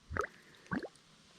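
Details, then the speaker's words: $30 water pump being primed, intake hose filled with cold water: three quiet gurgles and plops as trapped air escapes the hose; normal priming. "some gold cold water you can hear the air finally going in or coming out"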